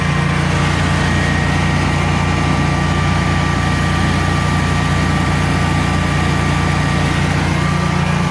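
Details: Generac Guardian 16kW standby generator running on gas after refurbishment, carrying close to 6,000 W of heaters: a steady low hum with a constant whine above it, no surging or hunting, healthy under load and not hesitating.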